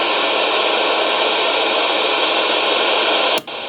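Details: CB radio at home, with the high-speed internet modem's power supply plugged in: loud steady static hiss that cuts off sharply near the end; RF interference from the modem power supply, the same static heard in the mobile when passing houses.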